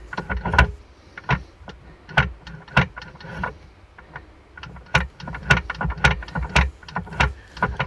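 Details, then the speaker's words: Morris Minor Traveller that lost drive, gearbox removed from the car and turned by hand: irregular clunks and rattles in uneven bursts, jamming and seizing; gearbox broken, not the clutch; clunky rattly gearbox when turned by hand. "have a listen to this you see it's jamming and seizing and it's clunky and rattly it's not good"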